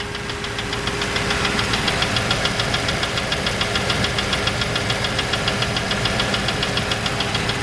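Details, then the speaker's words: Land Rover Discovery 3.9 V8, rebuilt with top-hat sleeves 40,000 km ago, idling with a sharp regular knock about three to four beats a second; runs smooth, no smoke, clean oil; local mechanic suspects big-end bottom-end failure, unconfirmed. "passing the freaking noise it's a bloody good engine it runs like it's you anyway what is that any advice would be appreciated and i'll leave with that the dreaded land rover knock knock logos"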